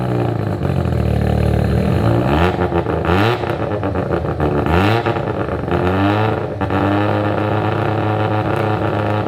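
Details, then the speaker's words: Abandoned Mazda RX7 rotary with new full exhaust, untuned with no timing in map: fast, smooth high idle with occasional blips, no choppy lope; idle set high pending tune. "It's idling rather high, but I don't r"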